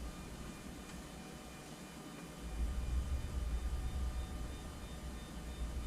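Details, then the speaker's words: Anycubic Photon Zero resin printer after the fix, leadscrew nut flipped to stop a Z-axis squeal, bed moving back down: low even motor drone swelling as it moves, no squeal even when pushed on, where before it squealed badly; normal motion. "And back down. Even pushing on it, it doesn't squeal anymore. If you pushed on it before, it would squeal like crazy."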